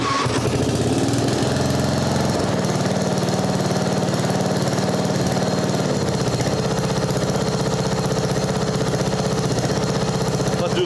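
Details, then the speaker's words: Mastercraft 12.5hp 38-inch riding mower with a flathead single, after carb repair: steady running at about three beats a second with no surging or misses. It runs healthy. "that's our idle there I like that it is a flathead they don't run the same as the overhead"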